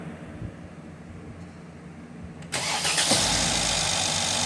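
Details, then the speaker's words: 2016 Mercedes GL450 M276 engine after correcting a shifted cam trigger wheel (P0011/P0016 timing codes), codes cleared and trigger-wheel learning reset; brief quiet then catches almost instantly into a smooth idle with no extended crank; timing confirmed back in line. "All right. So starts right up. We saw in the scope capture that the timing is back in line."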